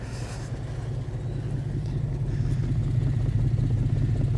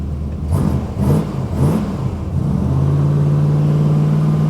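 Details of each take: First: 1980 Dodge W200 with a swapped 5.9L Magnum V8 on a winter cold start. Deep, lumpy idle missing one pulse per cycle; the exhaust smells of gas and blackens the hand. Dead cylinder on the passenger side, suspected fouled plug or burned valve. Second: Cold start V8: a few throttle blips, then a deep, even, steady V8 idle with no knock or tick and high oil pressure; healthy normal idle.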